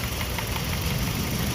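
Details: Toyota Vios that shakes at idle and needs 2–3 attempts to start in the morning. A lumpy idle with irregular thuds shows a misfire; a coil-swap test showed an ignition coil was dead, and it was to be replaced.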